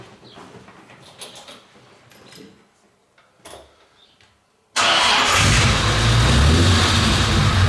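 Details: Restored Jaguar E-Type 4.2 Roadster, owner-built and driven to England: clean catch then smooth even idle with steady firing, no knocks or misses; normal start and idle.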